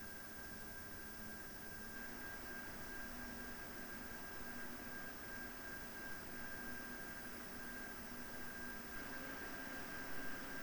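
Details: PowerColor Radeon RX 7900 GRE Fighter graphics card cooling fans: soft, steady rush of air with a faint thin metallic whine, no ticking or rubbing; normal fan noise.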